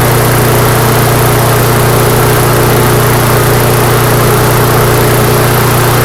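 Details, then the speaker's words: Neglected, rusty MTD mower on the bench, run at a comfortable RPM for several minutes to burn off smoke: steady, even single-cylinder drone at constant moderate speed, no surging. Smoke lessens each start, so owner doubts a head gasket leak; normal running. "All right, so I don't believe this to have a head gasket leak. Every time I start it up and it burns off a little bit more, it smokes less."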